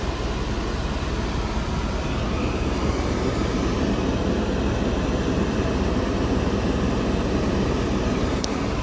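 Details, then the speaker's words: Mercedes W124 electric cooling fans on high speed, forced by a manual switch with AC on high at 12.6 V: even, steady rushing whoosh, audible but not very noisy, no rattles. "Yeah, you can hear that high speed fan. Fans. Not horrible noisy, but you can hear it."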